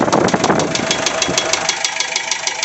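Sharp, even knocks about eight per second ride over the diesel idle, a steady mechanical knock whose cause is still unknown.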